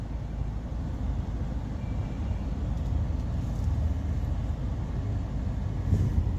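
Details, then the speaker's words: Suzuki Baleno steering after cleaning and regreasing the dried-out steering column motor fiber pinion gear that caused a knocking noise while turning: only a low steady rumble as the wheel turns, no knocking or clicking; normal quiet steering. "जो cut cut ए रहा था तो अभी देख सकते हैं कोई आवाज नहीं है इसमें तो इसका जो प्रॉब्लम था ना पहले ऐसा करने पर आवाज ए रहा था यह देख सकते यहां से कोई भी आवाज नहीं ए रहा है"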